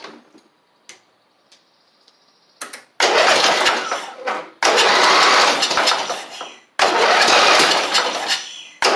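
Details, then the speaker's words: Eagle Star (possibly Noma) riding mower with a Briggs single-cylinder engine that was run low on oil, running on carb spray: harsh bursts with a loose rattly knock underneath. Crankshaft bearing knock from crankshaft slop; the engine is to be swapped. "Y'all can hear it go cuz I know you know it was ran low on oil. because you can hear that that crankshaft slop there on it."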